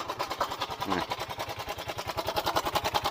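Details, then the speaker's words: Yamaha Mio M3 125 scooter: quiet, uneven beat about seven pulses a second with a rough, lumpy edge; CVT checked and fine, rough running traced to a faulty stator. "sini-sini kasar ya Bu ya sekarang segini kabar lanjut saja"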